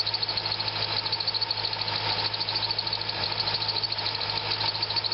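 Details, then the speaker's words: Corvette at idle: a steady high-pitched squeal that doesn't change as the serpentine belt tensioner is moved. The half-worn belt, possibly its brand, is suspected. "and it's not changing the sound so I am going to conclude that it's just the belt maybe it's the brand of the belt"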